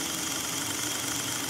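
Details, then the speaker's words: Electric wheelchair brushed motor after cleaning commutator and brushes, running on 12 volts with gearbox engaged: steady whir with thin high squeaks; much quieter than before cleaning, squeak cause unclear. "I have the gear box engaged now it's starting to squeak"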